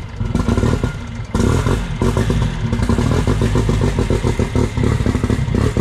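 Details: Toyota 3TC billet engine in a drag car, first start-up on a temporary 12-volt system: lumpy, loud idle with firm low pulses and a blip; fires cleanly and runs sound.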